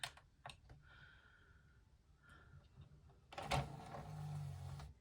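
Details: Pioneer BDP-450 Blu-ray player after repair of sticking tray and disc read errors, tested with cover off: a few light clicks, then smooth low motor whir for about 1.5 seconds as tray ejects fully; normal tray operation.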